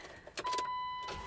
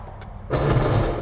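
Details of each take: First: Jeep Wrangler on jack stands tested in four-high: after start-up, a smooth even hum with both wheels spinning freely and no clunks or grinding. Four-high works normally. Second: Jeep Wrangler (bought cheap, rusty) test: selecting four-wheel-drive low produces a short harsh grinding burst over the running engine, like gears clashing; 4WD problem, cause not yet diagnosed.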